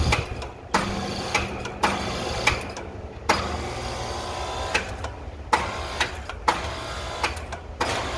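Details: Carrier A/C outdoor condenser unit: loud clicks about every half second as the fan tries to start then stops spinning; cause unclear, suspected run/start capacitor or fan motor.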